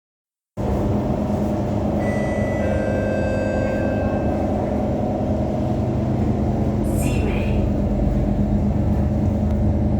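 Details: SMRT KHI C151 train set 057/058 arriving at Simei MRT, inside the carriage of 3058: loud steady roaring drone with low hum from abnormally loud air conditioning that drowns out the traction motors and makes the carriage vibrate intensely.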